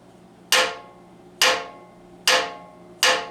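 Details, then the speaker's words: Cast iron Acorn platen table from a junk yard, after welding repair of a crack: four sharp hammer blows each leave a short bright ring that fades, which it would not do while cracked; the crack is joined and the casting is whole again. "Cast iron doesn't ring a lot, but something this big and flat definitely has a ring to it. I can hear it, so you're just going to have to trust me."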